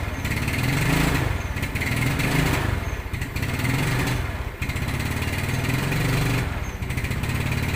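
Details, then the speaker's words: Yamaha Mio Sporty scooter, free revving: revs surge and sag, stumbling and popping, blebek when throttled unloaded; earlier diagnosed as needing a carburetor vacuum diaphragm, actually water in carburetor from leaking filter. Misfire from water. "Hai suaranya blebek blebek blebek bedigas kosong"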